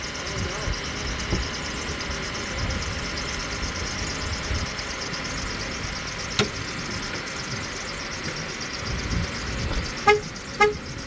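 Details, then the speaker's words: Van running at a steady idle in the cold after dealer repairs, with turn signal and headlight not working: sharp short squeaks about twice a second, like a squeaky door, never heard before; owner notes no fluid in a reservoir; squeak source unknown. "I've never heard it make that noise. Oh, you don't have the light. Sounds like a squeaky door."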